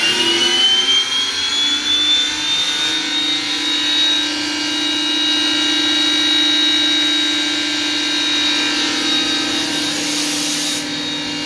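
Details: J&LNG 58 steam locomotive's newly added roof-top appliance, at about 110 psi steam: high, steady whine that climbs then holds an even pitch over a soft steam hiss; turbine spins up and runs smoothly, quieter in person than recorded.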